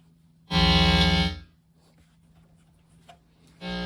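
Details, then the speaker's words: Newly built Deluxe Reverb amp at first power-up, not yet biased: a loud steady buzz with a strong low hum at switch-on, cutting out then returning; wrong resistor values in the pilot-light heater circuit. "do it backwards that doesn't sound good yeah crazy noisy something's wrong"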